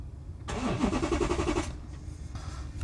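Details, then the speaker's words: Porsche Cayenne crashed by thieves, pyro fuse bypassed: fast uneven starter churn for about a second that cuts out without firing, slightly stronger crank than before; battery believed completely dead and needing replacement. "Okay, so that seems like a bit of a stronger crank, doesn't it? But it is cutting out, but Right."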